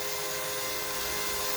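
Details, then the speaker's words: Cheap Amazon external electric fuel pump set up as a 55-gallon drum transfer pump for E85, priming fuel. It gives a loud, steady electric hum with a hissy rush and no surging: normal operation, just noisy. "i don't know if you can hear this pump is super loud i don't think i would ever trust this on a car"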